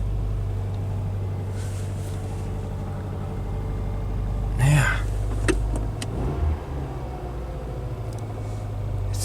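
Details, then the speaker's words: Subaru engine idling in a salvage yard, heard after fitting a replacement trim piece: low, steady hum with an even beat and no knocks or ticks, only a few handling bumps; normal, healthy idle. "listen to this motor it just sounds so good"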